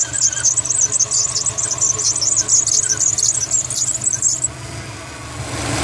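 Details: 2004 Subaru WRX STi, squealing belt noise at idle, suspected power steering pump belt; belts under a year old; steering wheel stutters when turning sharply at low speed: steady high-pitched warbling chirp-squeal, then stops. Cause suspected, not confirmed.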